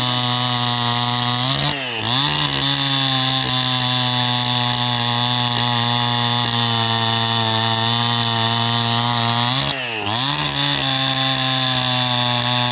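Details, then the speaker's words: 2010 Stihl MS261 Gen 1 at 8,000 ft, new high-flow intake and exhaust, rebuilt carb with limiters removed and fat tune, about 90% compression: strong, steady high scream holding revs in the cut, dipping briefly twice; runs rich, not reaching race speed, cutting healthily. "he's still getting a lot of fuel because I going to put it in the wood he still for you still hear that it's not doesn't it doesn't it doesn't step up to that Race speed"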